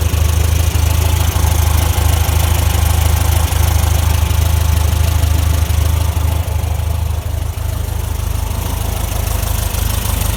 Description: 1968 VW Beetle Semi Automatic AutoStick noisy transaxle